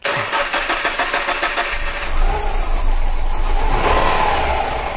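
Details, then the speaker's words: 2009 Subaru Impreza with P0300–P0303 random misfire and P0133 O2 codes, fuel pressure about 41–43 psi and within spec. Engine starts to a lumpy, stumbling idle with uneven beats, missing badly: engine misfire. "okay as things missing terrible okay we're still at about 41 43 give it some gas again all right lit up that's running terrible"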